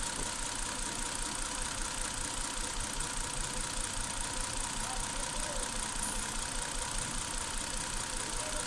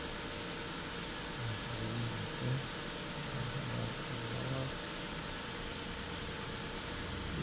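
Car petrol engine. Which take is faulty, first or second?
first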